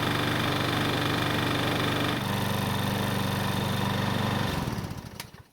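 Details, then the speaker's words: Troy-Bilt mower stored years on a shed shelf, probably not prepared for storage, now restarted and running steady; light even tapping about four a second that fades at shutdown, starts reliably, diagnosed as a little rod knock (big-end bearing). "so the good news is that the engine start starts reliably and runs well enough however you already know the bad news and that is it's got a little rod knock"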